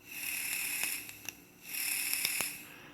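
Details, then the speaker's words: CigGo T 100W box mod firing at raised wattage: thin high buzz swelling in bursts with rattling flutter, a rattlesnake-like pulse-width buzz, possibly only above a certain wattage; cause unconfirmed. "but also you can hear the pulse width like just have a listen"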